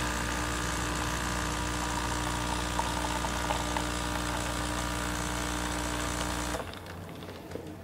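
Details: Saeco Incanto Classic superautomatic espresso machine, casing removed and sensors bypassed: steady motor drone with fast even pulse stopping cleanly near the end; brew group cycling normally.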